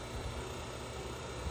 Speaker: Sounds like it just turned on. And we're working. Okay. So that's it. The thing works.